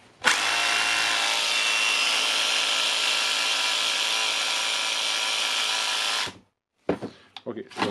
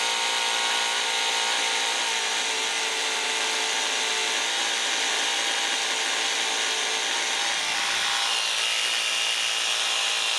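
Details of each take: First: Makita DHR202 18V cordless hammer drill, earlier ran then slowly stopped, worn brushes: after repair, no-load test, steady high-pitched motor whir for about six seconds then winds down; motor runs cleanly, more load needed to confirm. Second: Makita DHR202 18V cordless hammer drill under repair, motor test with armature refitted and brushes checked: high, steady motor whine with a raspy, uneven edge; the reverse switch was placed incorrectly, so the motor runs rough.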